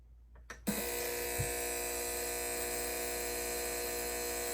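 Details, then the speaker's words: Sanyo CRT TV DS19330, chassis 19330-01, with constant harsh clicking and buzzing from the relay from switch-on, though the picture is good. A bad capacitor was found; replacing it stopped the clicking. "This TV had a clicking sound when you turned it on. The picture looked good, but this very annoying clicking sound was still present at all times."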